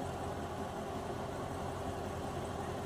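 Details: Corvette C6 after a rough-idle repair, with a scan showing no fault codes: a quiet, smooth idle with a steady low drone and no misses, stumbles or ticking. It is now idling normally.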